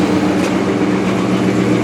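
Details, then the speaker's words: 1998 Jeep Grand Cherokee after fuel tank replacement, running on its own fuel: steady, even idle with low drone, no clatter or ticking, no heavy smoke, good oil pressure, charging. Normal idle. "oh sweet so it's running under its own power on its own fuel well that's a serious bonus i don't hear the motor clattering"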